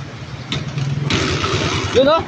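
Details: Honda TMX155 single after repair for noise, oil leak and poor running (timing gear suspected), first start with valve cover off: steady even idle thump, no knocks or ticks; runs smoothly.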